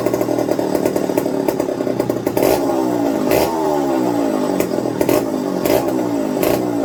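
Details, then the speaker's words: McCulloch 55 gear-drive chainsaw, first run on a new homemade tank wick, fuel starvation issues: uneven running, note swooping up and down, stumbling at low speed; fuel dribbled from carb after turning low-speed needle, owner suspects low-speed side; carburetor flooding. "okay well it wasn't coming out of the carburetor front and now it is and now stop but it only did it after i turned the low speed so i'm thinking there's a problem with the low speed side where it's just dribbling out"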